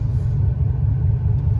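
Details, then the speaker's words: Chevy Impala SS LT1 350 with AC on for added load: deep, steady low rumble at slow lumpy idle, RPMs dropping as if about to die; exhaust leak still present, emissions readings way off. "it's like it wants to die or something you know what I'm saying so I got the AC on too just to see you know I'm saying put a little more strain on the motor"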